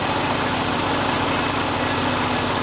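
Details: John Deere LA100 mower whose 1/2-inch deck belt kept failing within minutes, running: steady small-engine putter at even speed, no belt squeal or slap, no deck belt issue; brake pucks possibly worn.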